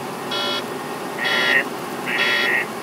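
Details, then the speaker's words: Truck with an intermittent fault for three weeks that the mechanic couldn't find in the system, and a bad sensor is suspected. Three short high beeps repeat about once a second over a quiet cab hum, an intermittent warning chime. "it's a sensor that's gone bad and of course we do think of cars you got sensors on everything"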